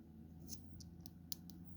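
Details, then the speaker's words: Peugeot 306/405 two-button key fob, opened: crisp light clicks, about seven in two seconds, from the two old-style micro switches on the circuit board; switches working normally. "don't know whe you can hear that clicking away and clicking away lovely so yeah that seems to be all good"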